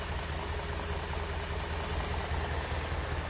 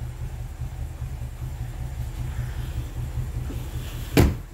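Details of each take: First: BMW N62 V8 that suffered random multi-cylinder misfire: even, steady low idle thrum with regular firing and no miss or stumble; V8 idling smoothly. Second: BMW N62 V8, multi-cylinder random misfire before repair, all cylinders misfiring except a couple: low, uneven idle with irregular lumpy pulses and a shaky rumble, one sharp knock midway, door shaking; rough running from misfiring cylinders.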